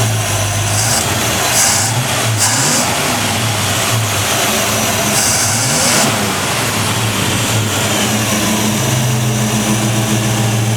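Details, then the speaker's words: 1957 Chevy 283 small block, after repositioning the distributor, points gapped at .016, timing set to 4° BTDC with vacuum advance plugged; repeated revs bring sharp cracks and pops, a backfire; specs dialed in but spark suspected wrong, distributor replacement recommended. "okay we still got a backfire going on here we're going to go ahead and recommend a distributor replacement"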